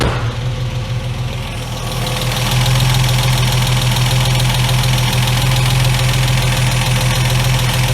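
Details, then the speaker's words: MK1 Ford Capri 3.0 Essex V6 manual that sat for 8 years, first run after carburetor work, started on cold-start spray in the carburetor and still warming. It settles into a steady, even idle; spraying for air leaks gives no change in engine speed. Normal idle. "let have a little sprits around make sure we haven't got any slight air leaks still nothing you are there's no change in the engine speed there cool that's just night and day"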